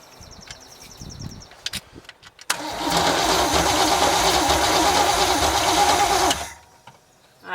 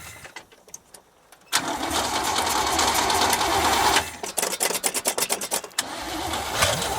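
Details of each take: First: 1973 GMC square-body truck with a small-block Chevy (marked 350), parked since 2001, cranks steadily about four seconds with even compression beats but never fires; no spark, and a new distributor was fitted afterward. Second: 1973 GMC square-body small-block Chevy V8, parked since 2001, cranks, catches and runs with a full even roar, then is re-cranked and picks up again; steady firing, no knocks, lots of oil pressure.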